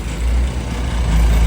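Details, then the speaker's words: Mini 7 S on dyno, brand-new converted carb, hard starting, ignition suspected over-timed, battery possibly flat, started on ether: freshly started, cold, steady fast drone idling about 1,800–2,000 rpm off throttle; high idle before timing set. "Well, she's up and running, not on the throttle anymore. It's idling quite high, about 2,000, but I guess that's expected."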